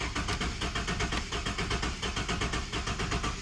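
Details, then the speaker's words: Abandoned turbo Ford EF XR6 inline-six cranked with one spark plug removed and grounded on the timing case to check timing: starter churns with lopsided, chuffing beat as one cylinder puffs freely; uneven cranking. "what you are hearing in this clip is one of the spark plugs completely pulled out the motor because olle had it grounding out on the timing case so he could check if the motor had timing"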